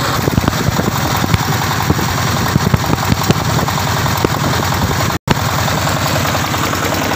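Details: Tiger 24ND single-cylinder diesel with fan cooling and electric start: a steady thump at an even idle, with crisp, regular firing and no misses or knocks; normal idle.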